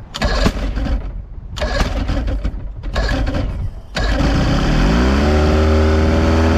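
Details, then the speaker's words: Free outboard for a 1982 Glastron 18-foot bass boat, run after sitting for years and started dry without water to the pump, so impeller damage is feared. It cranks, catches and settles into a steady, even buzz; forward and reverse both work. "still sounds good though there's forward and there is reverse beautiful"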